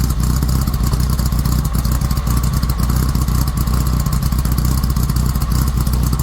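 Steady, deep raspy exhaust drone with even firing and no knocks or rattles; an air-cooled flat-four running healthy through a free-flowing muffler.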